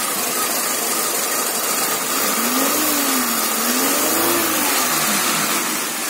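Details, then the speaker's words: Peugeot 206 1.1 petrol, 500,000 km, after replacing MAP sensor (plus earlier coil, plugs, injectors, stepper motor): idle noise gone, fuel smell gone, more torque; revs rise and fall smoothly without hesitation or misfire. Normal revving. "pour qu'on a perdu ce bruit des tourments dans le ralenti effectivement c'était le dernier point à régler sur cette voiture"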